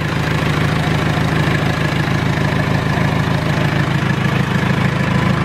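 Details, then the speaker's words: R2.8 Cummins diesel swapped into a 1997 Jeep Wrangler, first start-up in neutral: steady even idle clatter with no misses, knocks or surges; quiet and not shaking badly. "thing is quiet I think this feels like much spider than what my 4o was"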